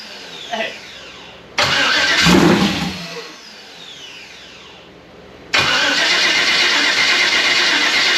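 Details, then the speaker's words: Freshly rebuilt Gen 4 aluminum V8 swap with 58x conversion harness, first start attempt on low battery: starter whirs in short bursts with no firing; no rpm on dash, 60 psi oil pressure; won't start, traced to two swapped harness wires. "i don't know something is very much not happy um i gotta see i got to plug the battery charger in it's cranking low low battery"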